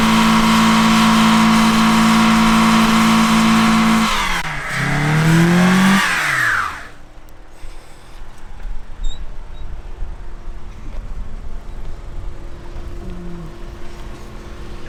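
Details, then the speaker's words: 2004 Lancer Sportback wagon (base model, 84,000 miles), full-throttle launch: a hard climb, the first-to-second shift at around four seconds, a brief rise, then revs and power fall away sharply as the engine bogs. "did you hear it shift from first to second then it just bogged down again"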